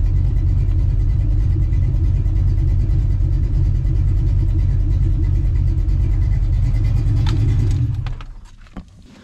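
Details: Small-block Ford 306, GT40P heads, Anderson N41 cam, Holley double pumper: low, choppy lope about three pulses a second until shutdown, during idle mixture tuning; normal lopey cammed idle.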